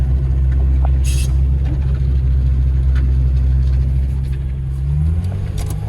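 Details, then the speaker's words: Holden VL with newly fitted RB30 turbo engine, large exhaust, first drive on private road with no bonnet: deep drone under acceleration that stumbles and loses its steady pull toward the end; engine breaking up under load. "It's definitely breaking up though, Hundy."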